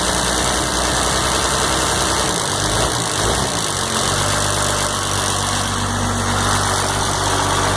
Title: 12 valve hard start, smoke and tick